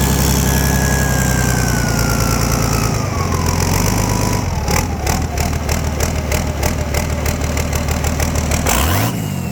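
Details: Volvo Penta KAD42 diesel, first start after complete rebuild with new cylinder liner kit: fires up, spins down from a whining start into a steady, even idle with clean rhythmic combustion; normal idle.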